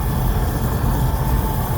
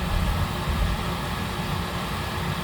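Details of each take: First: Oil burner furnace restarted after running out of oil, fuel line bled and reset pressed; steady low roar with faint constant tone, no sputter or pulsing; normal burner operation, flame holding. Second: I've done this before I know it's going to it's not going to start because we run out of gas I have to bleed the system first guys I have to bleed it it's not going to continue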